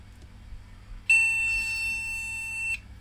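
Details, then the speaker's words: Retro MSI motherboard with AMD CPU, recapped by its owner, good DDR RAM fitted: one long steady high beep of about 1.5 s at power-up means no RAM detected. "okay so this seems to think it has no rub yeah so that's where the problem is with it"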